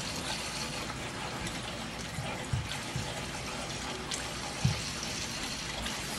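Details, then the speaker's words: Oil-fired hydronic heating system with circulators, one zone giving no heat. Power off, zone flushed and purged: water rushes out with uneven spits and gurgles as trapped air sputters out; lots of air in the loop. "I got the power off I give it a good flush good Purge definitely a lot of ear in there"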